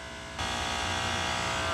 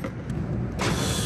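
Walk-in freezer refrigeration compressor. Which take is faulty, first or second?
first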